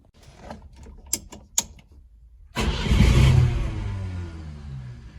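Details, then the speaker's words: Moskvich/IZh Kombi carbureted engine after new air filter, spark plugs and ignition leads: cranks, catches, then uneven lumpy idle stumbling about four times a second, still misfiring on a cylinder; cause unconfirmed. "только троит все равно блин"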